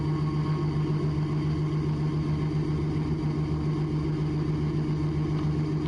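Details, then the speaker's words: Raptor prototype aircraft taxiing fast, fixed nose gear on a Lancia gear leg without nose-wheel steering: steady engine drone with a fast, rough low shudder beneath; nose gear shimmy, which stops just under 20 mph. "And in case you haven't already figured it out, that noise is coming from nose shimmy, from the nose gear, and at this point I'm just along for the ride."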